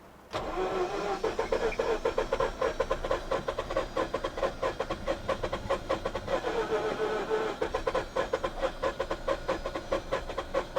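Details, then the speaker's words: Mazda RX8 rotary bought from auction, upgraded coils, owner suspects low compression: sluggish labouring crank about ninety beats a minute for ten seconds without firing; started later with a little throttle, cause unconfirmed. "It started better than this the other day. All right, we'll give the starter motor a bit of time to recover."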